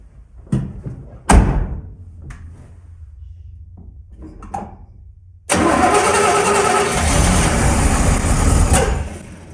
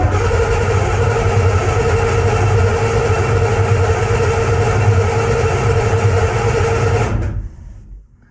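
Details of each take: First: 1981 Chevy C1500 squarebody, freshly refreshed and cammed carbureted 350 small block, first start: short cranking bursts with weak coughs, then it catches and runs roughly; flooded, with a wet spark plug, as the choke had no ground. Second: 1981 Chevy C1500, freshly built cammed 350 small block, cranking to build oil pressure before first start: even strong cranking at about three beats a second; oil pressure comes up fast and high, normal cranking.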